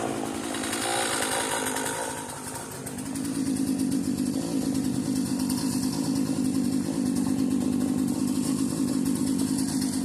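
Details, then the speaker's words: Cheap modern Poulan Pro chainsaw, set down and left running on old tank fuel: after a brief dip it settles into an even, buzzy two-stroke idle without stalling or hunting. A carb rebuild was expected but not needed. Normal idle. "I figured that thing at minimum needed the carb rebuilt. Clearly not. Still running. I'm impressed."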